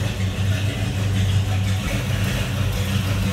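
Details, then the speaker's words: 1973 Chevrolet Nova Custom Hatchback, numbers-matching 350 V8 with Holley carb, heard from behind the car: steady, even, throaty low rumble with no knocks, misses or ticks; smooth, healthy normal idle. "Hear a little rumble out of that 350. Throaty sound."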